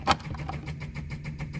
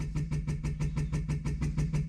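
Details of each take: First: 1964 Ferrari 250 Lusso electric fuel pump run with fuel line off: quick regular ticking about eight times a second, trying to build pressure but no fuel delivered; owner suspects car is out of fuel. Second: 1964 Ferrari 250 Lusso, key on, electric fuel pump starting after a tap: quick even ticking about six per second with a low hum underneath, pump running and priming; fuel gauge reads empty, fuel delivery unchecked.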